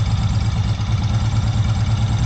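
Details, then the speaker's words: Long-sitting Honda PC800 Pacific Coast after carburetor cleaning, plugs unchecked, idles with an even low steady thump, no misses or surging; running smooth, slightly wants choke. "Alright guys, as you can hear, it is running"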